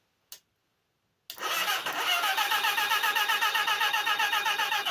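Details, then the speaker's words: Motorcycle engine left dry 6 years, freshly filled with new oil and filter, no chain fitted: steady, unlabored starter cranking about four beats a second, no binding, oil heard pumping; engine turns over freely. "Because if we hold it, it might actually, no, it's not. It's just turning due to the motion of the engine."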